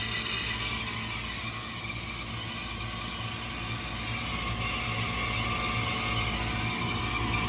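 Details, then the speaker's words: Walk-in freezer compressor with an impacted condenser coil, tripping on high pressure. Once restarted it runs very hot without overamping, giving a steady low hum under a loud, even hiss and faint squeal, which points to internal bypass inside the compressor. "Obviously that sounds terrible. It sounds like it's bleeding by internally. Yeah. I'm really pretty sure that's the compressor bleeding by inside."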